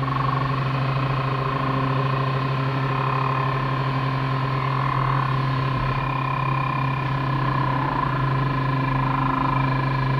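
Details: On full-power IFR takeoff climb from Lock Haven (LHV), PA: steady engine drone with a faint tone sliding downward in pitch, a strange decelerating mechanical sound; never heard before or since, crew could not identify it; engine instruments looked good.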